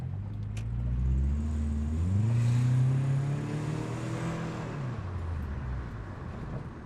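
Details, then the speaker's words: Subaru Impreza GC8 WRX EJ22 after coolant crossover pipe repair and engine teardown: revs rise, sag and die back with a flat weak note, no power or torque; owner suspects a vacuum leak, unconfirmed. "because yeah, we have like no power, no torque. We got a vacuum leak somewhere."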